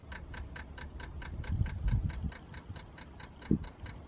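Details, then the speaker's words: Renault Vel Satis/Scenic electric parking brake: steady rapid clicking heard at the rear while parked, as the faulty control unit, getting wrong information, repeatedly commands tightening an already-applied brake, draining the battery; parking-brake warning shown though braking works. "voilà ce bruit de cliquetis qu'on n'entend quand le calculateur ne fonctionne pas bien il envoie un bon ordre sans arrêt pour freiner plus alors que c'est déjà freiné et c'est ça qui finit par vider la batterie"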